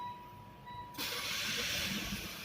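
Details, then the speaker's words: Mitsubishi Xpander after replacing the keyless remote battery, key left in console: engine cranks about one second in and catches into a steady idle; normal start with no warning. "Nah, kendaraan sudah dapat hidup dengan normal tanpa perlu kita mendekatkan kunci keyless ke tombol start stop engine."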